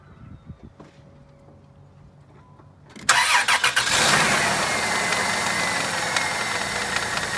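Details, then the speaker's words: 2000 Dodge Caravan with squealing, knocking engine noises, timing chain ruled out: catches after short crank, fast idle with hissy chattering rasp from belt drive; owner suspects a new tensioner or water pump still breaking in. "let's see if it doesn't quiet this noise this could just be a new new tensioner or new water pump phenomenal so to speak"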